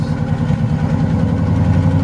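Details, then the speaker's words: Ford Crown Victoria built V8, first start after heads with cams returned from the machine shop and refitted: low, lumpy idle with an uneven beat and stumbles, like a cylinder or two dropping out; a miss, cause unconfirmed. "Missing. Still on the flat."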